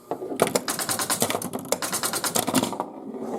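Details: 1977 Stern Rawhide pinball machine, after repair: fast crisp run of mechanical clacks and ratcheting for about three seconds, units cycling freely; mechanism working properly.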